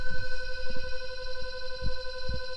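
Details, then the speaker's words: Cattle truck and trailer shut off, trailer brakes not yet released: steady droning hum with dull irregular thumps near the trailer; owner suspects an air leak but no leak hiss heard; noise unidentified. "Truck shut off, but I swear I hear an air leak, so I'm gonna go look at that in a bit."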